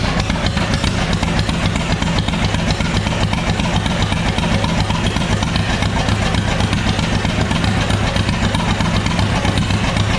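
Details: Old John Deere B tractor, sn 147828, started in neutral with choke, radiator off, oil pressure gauge reading none: steady low chugging pulse at a fast, fairly even beat, no knocking or clatter; normal running.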